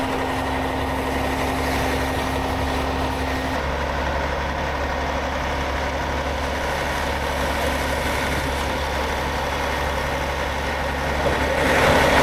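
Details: 2009 Newell coach with a Caterpillar diesel and dual exhaust, after a fuel filter change that cleared a low fuel pressure light. A steady, even idle with a low drone and faint constant tone during an active DPF regeneration; normal.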